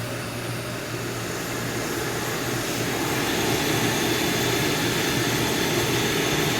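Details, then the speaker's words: Coleman 508 single-burner stove lit, flame lever adjusted: steady even rushing roar swelling slightly as flame is turned up, no sputter; quieter than the 502, burner running cleanly with good flame control. "fabulous stove nice flames it's quieter than the 502 and then excellent flame control it's good stove"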